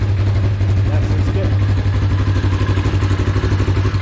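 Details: Freshly installed new motor, now with exhaust fitted, plus new wheel bearings and driveshaft U-joints; deep, even exhaust pulse about four beats a second, steady low rumble, nothing knocking, exhaust much calmer; engine light is on: normal idle.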